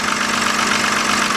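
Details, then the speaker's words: 2007 BMW 328xi petrol engine at idle: light, quick tapping from the top of the engine, loud at startup then quieter, louder on one side; lifters suspected, not confirmed. "sounds like a little tapping coming from the top. Gotta find out whether it's the lifters or something."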